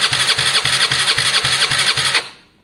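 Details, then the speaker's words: Gilera DNA 125cc scooter, first start-up attempt after a carb upgrade, no airbox connector fitted: quick chugging crank that cuts out abruptly, engine not catching; intermittent starter from dirty contacts. "Right, let it cool down. Oh, every time. I'm gonna have to clean that properly."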